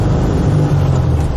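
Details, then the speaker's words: VW Type-3 Fastback with dual carburetors and aftermarket air cleaners in the hot engine compartment, driving under hard acceleration. Deep, loud intake roar building with revs as the carburetors spit back at a certain high RPM; normal. "When you hit that certain RPM, where them carburetors spit back just like that, where they roar, blah,"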